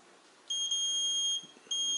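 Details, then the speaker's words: Lawn tractor operator-presence relay, wired up on a tractor battery, tested with a multimeter on continuity: clear steady beep between top and bottom terminals, showing continuity as expected, a good sign for the relay. "And the top terminal and the bottom terminal, with the switch in the open position like this, we should have continuity between this top terminal and the bottom terminal. You can hear that."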